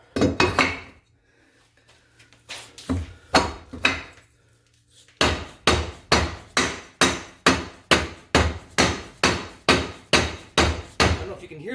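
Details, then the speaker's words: 1977 Baja jet boat, Berkeley 12JE jet pump (403 Olds power), pump rebuild: wear ring driven in with hammer using old impeller as driver; steady blows just over two a second give dull thuds, not the metallic ring of a fully seated wear ring. "let's have a look see we might be just about there we got a little ways to go here we're almost there"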